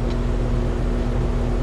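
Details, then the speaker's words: Outdoor AC condenser compressor running with a loud, steady low drone and fixed hum at very low suction pressure, close to a vacuum, as if starved of refrigerant; head pressure not abnormal. "by clicking you here right there that's that compressor operating at very low suction pressure"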